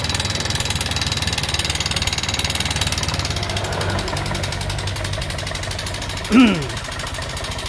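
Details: Honda Vario 125 injection scooter before repair, engine sounding rough: clattery idle with fast steady top-end chatter; worn rocker arm bearing.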